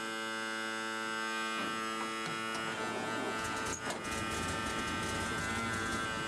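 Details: REO truck, first start of spring after sitting over winter, cold start with choke and throttle out, in neutral with parking brake on: a constant harsh buzz drowns out the engine, the low air pressure warning sounding until brake air pressure builds.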